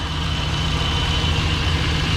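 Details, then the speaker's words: LS-swapped square body 3+3 with Holley Terminator fuel injection, warm (about 165 degrees), idling around 850 rpm after being shifted in and out of gear; smooth, even low rumble with no stumble, miss or stall. Normal idle. "I'm just gonna let this run and make sure everything's topped off. We put it in and out of gear a few times. It still idles, doesn't stumble, doesn't stall."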